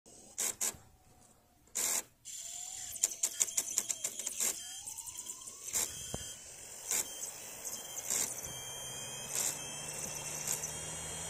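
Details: Panasonic (Kyushu Matsushita) UJDA150L laptop CD-ROM drive, made September 1998, for a Micron TransPort Trek 2 laptop; loud printer-like mechanical clatter with sharp clicks and bursts and a faint rising motor whine.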